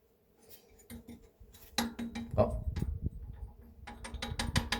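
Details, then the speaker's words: BR232 diesel locomotive KT6 turbocharger, rotor turned slowly by hand, gives light irregular metallic clinks and ticks from loose turbine blades shifting in the ring; blade rattle from looseness. "ale wcześniej w momencie kiedy ręcznie napęd wzięło się wirnik torba nie było słychać takie lekkie klekotanie właśnie będące wynikiem luzów upadek"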